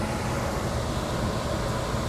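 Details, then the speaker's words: 40-year-old Carrier Weathermaker rooftop unit after a defective transformer was replaced, multitap blower motor set to its highest speed: blower kicks right on with a steady even air rush and low hum, no rubbing, squealing or knocking; normal blower operation. "Here we go. Round two. Tower's on. Blower kicked right on."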